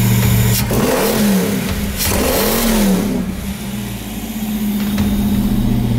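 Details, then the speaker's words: Abandoned 1995 Ford Mustang restarted after years of storage: uneven, lumpy revs that surge and sag, idle hunting and never settling; oil pressure, battery and charging fine, idle needs work, cause not found. "got oil pressure sweet that sounded terrible wow"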